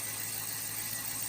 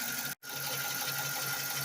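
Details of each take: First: 2014 Dodge Charger 5.7 Hemi after camshaft and lifter repair, cold start: brief rattle at first start, then smooth quiet cold idle, even hiss and hum, no ticking; lifter rattle returned later when fully warm. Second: 2014 Dodge Charger 5.7 Hemi, after a cam and lifter job done with cheap parts, fully warm after a 15-minute drive, idles with a light, quick ticking under a hissy running noise; it's lifter tick, apparently on both banks.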